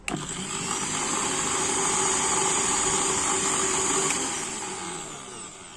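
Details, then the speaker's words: Philips mixer grinder after repair of a burnt armature and two burnt carbon brushes, run direct in series: motor holds a steady, high, clean whine with no sparking crackle or grinding, then winds down smoothly; normal running. "তো বন্ধুরা, আমাদের mixer মেশিনটি ready হয়ে গেছে। এবার তোমাদেরকে চালিয়ে দেখাবো। এটা সিরিজে চলছে, ডাইরেক্ট দিলাম।"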